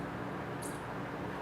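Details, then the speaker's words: Early-90s CRT monitor (Compaq monochrome or Packard Bell color) at power-on: short high chirps about a second apart that speed up, over a steady hiss; owner suspects a dried-out power supply capacitor reforming. "it's chirping now i've heard this before i have a feeling that if i just leave it plugged in for a while it'll start working"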